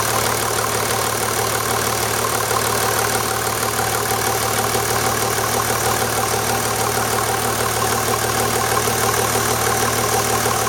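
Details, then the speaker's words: 1991 Mercedes 350SDL W126 OM603 diesel, just after an oil change with 5W40 synthetic, idling: steady, even diesel clatter with no separate tapping above normal injector knock. Diesel idle, no tapping evident. "alright I'm gonna just fire it up again see if I hear that tapping noise now that I've gotten the oil pan out from under the car"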